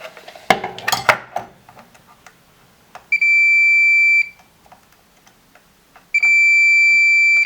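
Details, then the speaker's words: Samsung PN51D495 plasma TV with no power; two steady one-second continuity beeps on transistor Q59 of the Y main board in a quiet room; transistor shorted, Y main board needs replacing. "that's a diod d 5015 and this one is a transistor the q59 that's blown"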